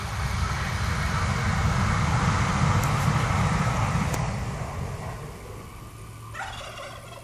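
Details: 1979 Corvette windshield wiper motor running with a rough, fast chattering warble, almost a gobble, an abnormal noise of unknown cause.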